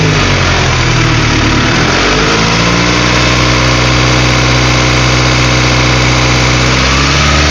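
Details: Honda B16A engine with J1 transmission, idle problem: idle hunts unevenly, revs swelling and sagging with an odd rough note underneath; owner fears motor is shot, cause not confirmed.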